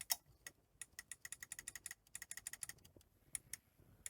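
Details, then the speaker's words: Sony SL-C6UB Mark II Betamax after STK regulator replacement; quick, irregular clicking and ticking as the front tape loader cycles without settling and won't eject; front loading system fault, possibly misalignment, cause unconfirmed. "it's there obviously something not quite right with the the front loading system"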